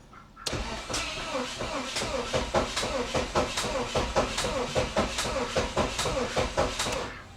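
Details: 1988 Saab 900 Turbo, months without starting: starter spins steadily a few beats a second for about six seconds but never catches; crank no start.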